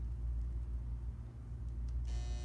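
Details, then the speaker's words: Chugger magnetic drive pump, bracket deliberately removed to misalign it from the motor: powered on, only a low steady electrical hum with no spin-up, fan blades not turning; drive magnet binding from misaligned bracket. "and that's what you'll hear, and it'll sound like that, and nothing will turn. That is what we commonly call a misalignment."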